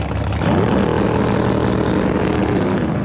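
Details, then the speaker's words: Rebuilt 632ci all-aluminium Big Block Chevy in a carbon fibre jet boat: hard, steady high-rev drone holding flat without dropping back, sounding stuck on a 5,000 rpm rev limiter. "It sound like it was stuck on a 5,000 RPM rev limiter."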